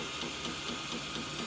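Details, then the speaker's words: M3D Promega 3D printer extruder motor, current set at 0.4 A, free-spinning spool with no back tension: sharp click about every quarter second over motor hiss as the motor slips, lacking torque to push filament into the hot end, causing under-extrusion; cause suspected. "there goes the extrusion motor again, not able to power through and push the filament into the hot end. This is causing under extrusion"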